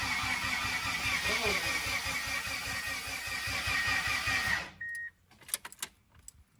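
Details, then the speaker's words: 2g Eclipse on its first start attempt in about a year, in park. Steady starter cranking about 2.5 beats/s with spark but no fire; ignition timing was set completely wrong from the diagram, to be reset with number 1 at TDC. "But what happened was the diagram for the timing for the engine was completely off. We were cranking. We were getting spark. We were getting everything."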